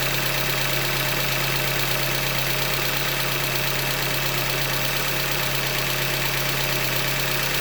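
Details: 2015 Hyundai Elantra Limited, 91,000 km, idling: fast, fairly even tapping about two per second over the engine note, a deep bottom-end knock attributed to short block failure, a Hyundai manufacturing defect.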